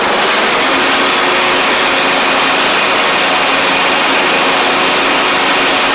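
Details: John Deere LA100 riding mower with 5-speed transaxle, long-sat, hard starting from valve issues, on the test run with the blades engaged and all spindles checked as turning: a steady, even small-engine drone with no knocks or misses. It runs smoothly.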